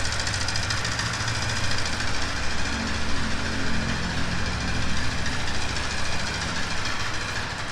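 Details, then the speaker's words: Black Yamaha R15 at 30,000+ km idling: loose, uneven knocking about a hundred a minute from the cylinder barrel, piston and ring slap caused by oil starvation after the owner skipped the recommended 4,000 km oil changes. "มาดูฝั่งนี้นะครับเมื่อได้ยินเสียงนะครับในเจอเสียงของลูกสูบและแหวนนะครับที่ดังอยู่ตรงห้องเสื้อตรงนี้นะครับ"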